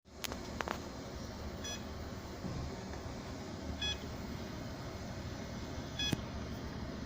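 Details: Seagate external hard drive not detected by the computer gives three short electronic beeps about two seconds apart over low room hum; repeated beeping from the drive.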